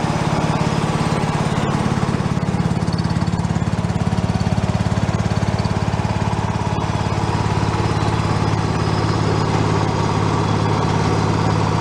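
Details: Free John Deere lawn tractor revived, running on choke as fuel comes up: smooth, regular thump at steady speed throughout, no stumbling or surging; normal running.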